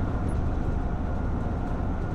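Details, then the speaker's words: Camper van driving after the tin roof was bonded to the roof beams and sound-deadened: steady low road rumble with no overhead tapping or drumming; roof rattle gone, occasional small rattle suspected from rear door catches. "there's absolutely no rattling from that tin roof like there was before I mean that was really bouncing up and down and that's quite solid"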